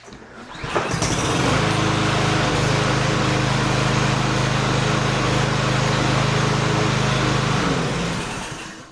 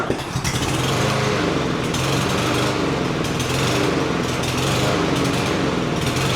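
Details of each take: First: Cub Cadet SC300, Honda-clone 159cc engine, first pull after carburetor rebuild, air filter off: catches quickly, steady even buzz about six seconds before shutdown; starts and runs cleanly. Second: Cub Cadet SC300 mower with Honda-clone 159cc engine, before carburetor rebuild: engine chugs unevenly, speed surging and hunting instead of holding steady; running rough from dirty carburetor.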